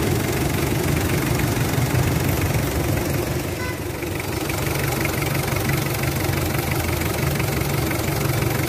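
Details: Mitsubishi Adventure diesel at idle with an uneven, shaky chug of about three pulses a second that never settles. Rough idle, cause unclear, tied to throttle delay, vibration and low-power complaints said to be fixed after PMS.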